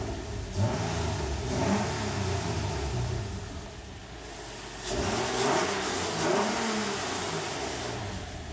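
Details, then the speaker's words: 2003 Nissan Altima VQ35DE V6 after a timing chain tensioner repair, two clean throttle blips with revs rising and falling quickly and no rattle or tick; instant throttle response, and it sounds much better than before. "nice exhaust pitch it sounds [ __ ] up a lot better than it did that's for damn sure oh yeah throttle response is [ __ ] instant"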